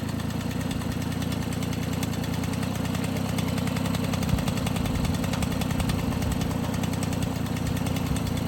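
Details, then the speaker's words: MBK 51 Club moped, first start after restoration with an all-new engine, not yet tuned: steady, even two-stroke putter at idle with no knocks or rattles; runs clean and healthy. "Premier démarrage, avec le petit feu, tout fonctionne, nickel. Plus de bruit, plus rien."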